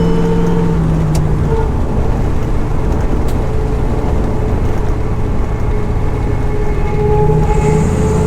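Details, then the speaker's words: 1971 Chevrolet Chevelle GM 10-bolt 8.2 rear axle after new pinion bearings, backlash set 8.6 thou, test drive at cruise: faint steady whine over road drone, quieter than before but diff still noisy; carrier bearings unchanged. "n the old cover up, glue it back on, and then put some oil back in it and refit the rear suspension bar, and hope for, fingers crossed, we finally get rid of this noise."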